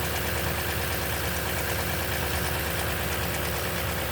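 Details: 2010 Toyota Tundra, 165k miles, 5,500-mile oil changes: cold-start idle with fast light rattling tick, about three per second, from the top end; timing chain noise suspected, unconfirmed.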